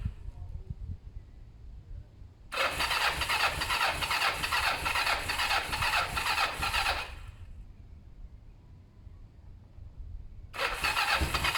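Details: Kawasaki ER-5 twin during service after carb cleaning and new fuel hoses: two long bursts of even starter cranking with no catch or firing; cranks but will not start. Owner thinks carbs have fuel and plans to check spark plugs.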